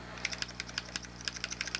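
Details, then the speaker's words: Xbox 360 controller after silicone lubrication of the squeaky trigger springs: rapid light plastic clicks about seven a second with no squeak; all triggers now quiet, just need working in. "Yeah, alright, so it looks like all of them are good now. You just have to kind of, you know, work them in."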